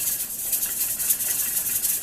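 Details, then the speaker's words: Inherited pressure canner with cold-pack navy beans, weight just starting to jiggle at pressure before timing begins. Soft, quick rattling hiss as the weight rocks and vents steam, settling toward a steady rhythm; normal. "okay you can hear that i'm starting to jiggle so i'm going to let it go just a little bit until it starts"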